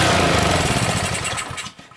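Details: Honda GCV190 engine on a Simpson pressure washer that won't start: spark confirmed, brake cleaner sprayed into the chamber makes it fire rapidly, sputter and die within two seconds; not getting fuel, clogged carburetor suspected from old gas.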